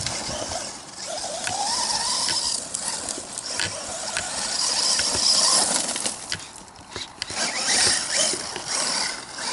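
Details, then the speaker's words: 1/10 HobbyKing Desert Fox RC truck with Traxxas Velineon 3500kV brushless system on a 2S LiPo: irregular clicking and ratcheting over a gear whirr from dirt and debris stuck in the open spur gear, which risks stripping. "Hear the gears clicking, so something might have gotten stuck. Lots of dirt. There's a little something stuck in there."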